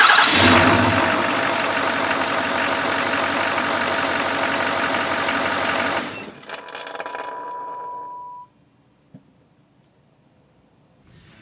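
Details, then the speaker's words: 2015+ Ford Powerstroke diesel truck, heard under the hood at shutdown: engine runs, shuts off, and a thin metallic bearing whine lingers and fades for a couple of seconds instead of silence; failed VGT turbocharger bearing. "so did you guys hear that as the truck's spooling down there is a metal there's a bearing there's a fan sound you can't hear it that well but you can hear it"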